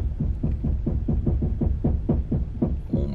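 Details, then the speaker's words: Toyota Tundra on 35x12.5x18 General ATX tires with Method 701 +25 offset wheels, turning at low speed on pavement. Low rhythmic scuffing at about four or five pulses a second: the front tire rubbing the front bumper. "It is rubbing so bad. Let me see if you can hear it. I don't even want to do it because it feels like the front of the truck is getting ripped off."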